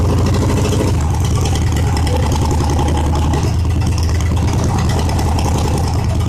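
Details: Reassembled engine started with the exhaust not yet fully refitted: loud, rapid, even exhaust pulses at a steady idle with no knocks or misses; open pipes, but the engine runs fine.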